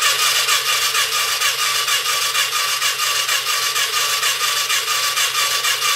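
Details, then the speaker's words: Yamaha Virago XV535 bobber project, cranking for a 30-second fuel pump flow test. Starter grinds slowly, about two laboured turns a second, never catches; the battery is nearly flat despite a day on charge. "okay as we can hear there the batter is pretty much coughed its last or despite it being on charge for a day or so"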